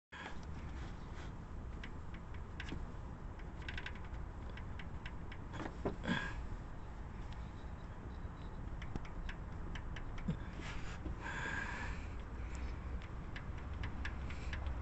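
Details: 2008 Honda Civic petrol engine at idle: deep rumble with a faint light ticking on top; valvetrain suspected, not confirmed.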